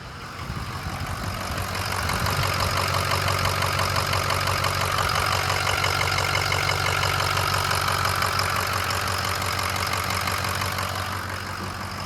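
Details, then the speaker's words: Ford 6.0 Powerstroke diesel after replacing cracked number 4 injector, warming up: steady even diesel idle with smooth rhythmic clatter, no misses or knocks; slight exhaust haze from fuel-caked exhaust considered normal; sounds good. "A little bit of misting still, hazing, but that's normal. Like I said, everything is caked with fuel because it was cracked injector. It sounds good though. It sounds good."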